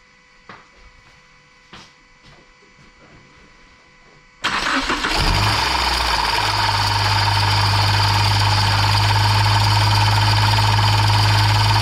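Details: 2015 Subaru Outback with belt-noise complaint (loose squeaking belt): engine fires and settles to steady idle with faint rattle from the front as the AC compressor clutch wobbles loosely on its shaft; compressor to be replaced.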